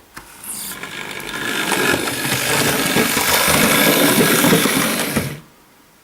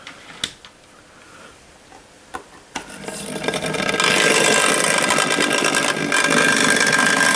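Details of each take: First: Hornby Dublo LNER tank locomotive running on track: smooth, even motor whirring that swells and fades as it passes, no knocks or grinding, not much noise; normal running. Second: Hornby Dublo LNER N2 tank locomotive running on track: small electric motor whirs loudly and harshly at steady speed, far noisier than other locos; cause not found, to be bench-checked; excessively noisy motor.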